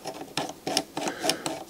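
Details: Light mechanical clicks and whirs repeating evenly about three times a second, no grinding or catching, from a Sony MDS-JE520 MiniDisc deck's loading mechanism after repair of a fault where it would not take in discs; runs smoothly.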